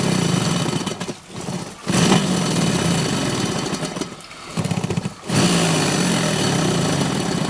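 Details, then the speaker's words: Old Carrier air handler with aluminum slant coil, blower reported noisy: loud, rough, uneven rattling churn over the blower's rush, consistent with loose debris caught in the blower wheel. "They're complaining that the blower is making a lot of noise."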